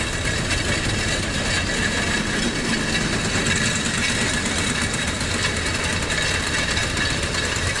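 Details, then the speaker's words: Tractor pulling a seed drill (mibzer) running normally after repair of broken drive gears, a replaced box gear and bearing, and new chains, following a tak-tak knock; steady engine drone with no knocking. "sürü gayet güzel Herhangi bir sıkıntı yok Ses yok yok"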